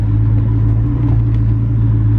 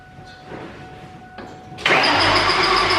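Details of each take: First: 2003–2004 SVT Cobra "Terminator" supercharged V8, just rebuilt with all 32 valves replaced, on its first test drive: holding oil pressure, AFR gauge not working. Deep, steady, even rumble with no knocks, ticks or whine; the engine runs normally. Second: 2003–2004 SVT Cobra supercharged V8 after engine rebuild with all 32 valves replaced, on a jump pack: two long bursts of fast, even starter whirring with no firing; crank sensor left unplugged after installing AC compressor.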